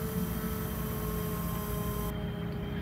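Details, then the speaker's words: 1976 Datsun 280Z, fuel-injected; key on, the fuel pump is fed from a bottle and draws fuel up through the filter. Faint steady electric hum at constant pitch: normal fuel pump operation. "yep i can hear the pump running you can hear it sucking fuel in now"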